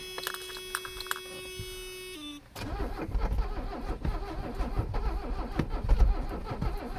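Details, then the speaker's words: Abandoned Mercedes 300CD diesel, last ether burst, run without air cleaner: a tone, then rough irregular chugging and clatter that never settles to idle; cranks but won't start, owner unsure if lean or rich, later suspects low compression. "No idea if she's lean or rich. That's a horrible noise."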